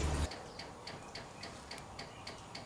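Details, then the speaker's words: Honda Ruckus scooter, key on and engine off, after draining old brown fuel and adding fresh gas: a crisp, light ticking about three times a second is the fuel pump priming normally. "think that's the fuel pump. Did you hear that? I did. It is the fuel pump. Sounds like a Honda again."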